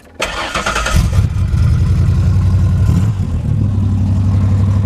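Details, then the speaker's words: 1991 Ford Explorer being converted to flatbed, after new brake booster and fuel injectors: quick crank, clean catch, steady deep idle, mellow not-too-loud sporty exhaust; sounds healthy. "I decided to go and see what the Explorer sounds like and it sounds pretty good it's not real loud but it sounds good I didn't want it being real loud and obnoxious anyway so it's perfect"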